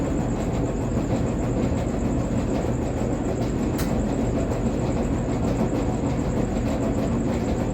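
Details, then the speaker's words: Samsung front-load gas dryer running before idler pulley replacement: loud steady low rumble with rough grinding texture; worn idler pulley more than likely, possibly other problems too. "Noise, there's definitely a problem going on with the dryer. One of the problems is more than likely an idler pulley, but a couple other things."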